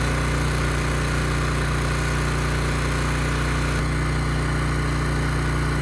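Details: Ridgid generator with Yamaha MZ360 engine, about 10 years old and unused for 4 years, revived after rusted tank and carburetor work. Under a 3,000 W load it holds a steady, even drone at 60 Hz with no misses or hunting. Engine speed is maintained; it runs healthy.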